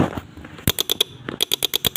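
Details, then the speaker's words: Honda Beat injection scooter with dim lights when horn used; pressing starter gives only rapid sharp clicks, about nine a second in two bursts, no cranking. Solenoid chatter, possibly from a weak battery. "Nah ini kita starter, dia hanya bunyi cetik-cetik di sini. Coba di sini, lihat. Cuma bunyi cetik-cetik."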